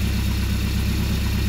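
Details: Mercruiser 170 3.7 L marine engine after rebuild and break-in, about 1.5 hours on it, idling through a makeshift wooden muffler: deep, even rumble with a steady beat, no knocks or misses; normal idle.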